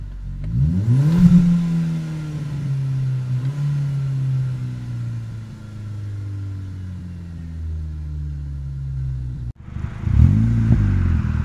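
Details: VW/Audi/Skoda/Seat TDI/FSI/TFSI engine, acting up only when fully warmed up, won't rev past a set rpm: revs briefly, stalls, sags unevenly, cuts out; codes P0321 and 000801, no check engine light; fixed by replacing G28 crankshaft position sensor with Bosch.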